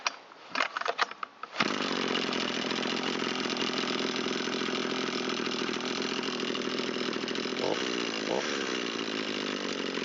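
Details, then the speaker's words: Echo SRM225 trimmer repaired after long sitting with fuel and low compression, warm restart after mixture tuning: a few pull-cord rattles, then it starts on about half a pull and settles into a steady buzzing idle; healthy. "is responding nice. Starts on about half a pull. This machine's ready to go back into service."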